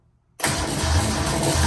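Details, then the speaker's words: Datsun 260Z after L28 engine install, first start-up: engine catches abruptly and settles into a rough, busy idle with a faint metallic rattle on top, source not yet pinned down. "Well, I'm gonna take these off. That sounded like it was rattling."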